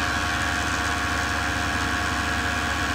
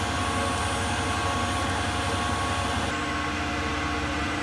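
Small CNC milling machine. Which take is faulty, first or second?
second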